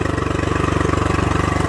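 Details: Honda 40 HP carbureted three-carb outboard, sat 3 months, on non-ethanol fuel, warm after a few minutes, pumping plenty of water: smooth quick even pulse, steady, no stumbles or misfires; healthy warm idle.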